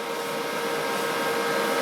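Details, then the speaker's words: Old desktop PC: steady loud rushing roar with fixed whistling tones, no rhythm, from the processor heatsink fan, sounding like a vacuum cleaner on startup; a loud CPU cooler fan. "I'm heatsink for the processor sounds a bit like a vacuum cleaner when it turns on this is officially the loudest PC I own"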